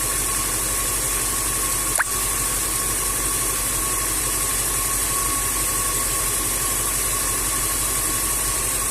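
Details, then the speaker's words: Range Rover 4.2 V8 supercharged, about 30,000 mileage, misfiring when cold, low compression in cylinders 7 and 8: cold idle at about 700 rpm, steady and even with a faint whine and no supercharger knock heard. "вот обороту уже где-то 700 не charge не слышно ничего вообще не слышно"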